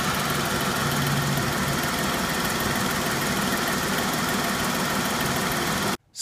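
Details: 2014 Jeep Pentastar engine after dealer replaced rocker arms and lifters for ticking: steady idle with a light, quick tick over the engine, quieter than before; a dealer's 2014 also ticks slightly, cause unclear.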